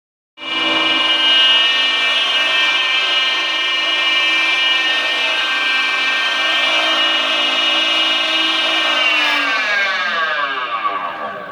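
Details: Hayward SP3400VSP variable-speed pool pump, noise began a month after installation and grew louder over a year: loud steady high-pitched whine sliding down in pitch as it winds down.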